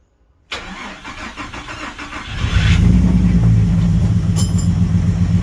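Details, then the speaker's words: Freshly swapped Ecotec engine, first start: heavy lumpy stumble about four beats a second, massive misfire; two cylinders cold, not firing. "That is a massive misfire."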